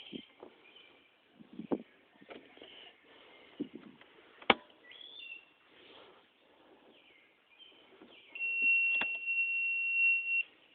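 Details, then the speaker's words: Portable jump starter pack (about 1,000 amps) on Ford Ranger V6, on for a minute or two after a button was accidentally hit; scattered outdoor chirps then one steady high beep about two seconds; jump starter warning beep. "it's been on for a minute or two now it's going to start beeping because I accidentally hit a [Music] button"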